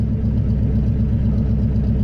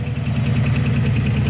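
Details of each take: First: Engine with a retuned Holley carb, reassembled and in neutral, fires right up: a smooth, even idle. AFR reads upper 14s to 15, maybe a little lean, with vacuum around 18 and steady. Normal idle. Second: Engine idling just after a Holley carb install, choke not set: sharp, light ticking about thirteen times a second over a steady idle rumble, from a bad lifter; it still runs decently. Lifter tick at idle.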